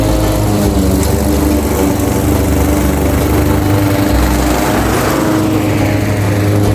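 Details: Craftsman 21-inch cut mower, 5.5 hp Honda GCV160, reportedly a non-starter with a dry tank, cutting at level two: a steady, even drone holding speed, no misses, surging or knocks. Runs healthy under load; technically nothing was wrong.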